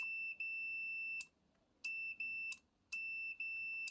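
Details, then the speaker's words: Kitchen deep fryer repair, continuity test on the limit switch: no continuity at rest, and clean high-pitched beeps come each time the switch is pressed and stop on release. The limit switch is working properly. "But if I press the switch, let me try to press somehow. Ah, yeah, it beeps."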